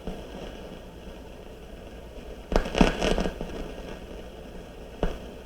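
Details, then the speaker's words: RCA CR-88 1940s receiver, testing a lighter-colored 4700 pF mica capacitor with the gain up: quiet hiss broken by bursts of raspy crackle like a rainstorm, coming and going. The capacitor is noisy, part of an unusually bad batch. "let's try this one here this one is a different color than the rest of them too this is a lighter color kind of interesting try that one okay so here we go there's another one gain up sounds like a rainstorm"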